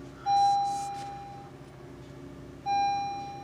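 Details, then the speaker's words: 2012 Honda Civic with deployed curtain airbags from collision damage: check airbag system light on, a clear single bell tone repeating about every 2.5 seconds that won't stop; airbag warning chime. "see that check airbag system and now it's gonna start making that sound a little bell sound and he won't go away"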